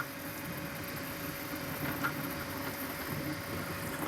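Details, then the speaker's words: TwoTrees SK1 3D printer printing in real time with standard particle-filled filament: steady hum, faint mid tone and quick patter from extremely fast head moves. Normal printing noise. "Alors je pense que vous entendez le bruit, puis vous voyez à la vitesse qu'elle imprime aussi, là. Alors les déplacements sont extrêmement rapides."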